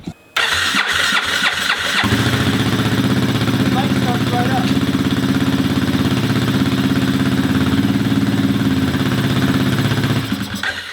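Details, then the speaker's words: Kymco scooter with fuel leak, temporarily Gorilla Glued joint: cranks a few times, catches, then uneven wavering idle; owner notes weird idle problem and new fuel leak, plans to order injector part, cause unconfirmed. "I have now a new fuel leak here. It's got a weird idle problem."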